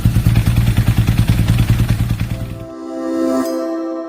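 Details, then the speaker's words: BMW R nineT with an air-cooled boxer engine and dry single-plate clutch, after a transmission replacement, lever pulled at idle. A heavy rhythmic clatter of about three knocks a second rides the idle. Worn clutch disc, pressure plate and housing cover that wobble; the clutch set was replaced. "마모된 클러치 디스크, 압력판, 하우징 커버 상태입니다. 흔드니까 흔들흔들 거립니다."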